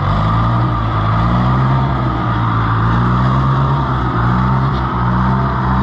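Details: International IH 584 diesel tractor after clearing trash from the fuel line's 90-degree banjo bolt elbow: firm, steady low rumble at idle with even firing and no stumbling; running clean, normal idle.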